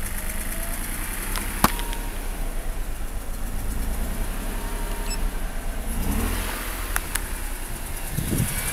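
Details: 2004 Mazda RX-8, 110,000 km, broken rotor side seal: very rough idle and power loss, with a rhythmic pulsating air-suction sound that grows louder on throttle blips.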